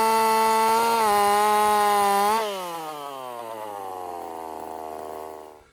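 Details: Husqvarna 50 Partner 5000 hybrid race chainsaw on its first cuts after a rebuild with a machined piston taper, in wood too big for the bar; a strong, clean high-revving note holds steady, then winds down smoothly toward idle. Normal running under load.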